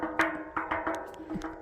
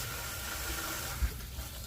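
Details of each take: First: Tapping a well pressure tank at a rental with no water, pump not starting: about seven short, solid ringing thuds, not hollow; tank sounds bad, probably short cycling, which burnt out the pressure switch: waterlogged pressure tank. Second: Well system after replacing failed pressure tank and pressure switch, power back on: steady rush of water filling the lines over a low hum, no knocking; pump pressurizes, check valve holding: normal pressurizing.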